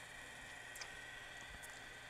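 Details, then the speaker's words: Used Panasonic RS-270US cassette deck after new belts and service, fast forward tested: quiet, even motor whir with a steady high hum, no longer clunking as before; transport running smoothly, normal fast forward. "Not making that clunking sound either."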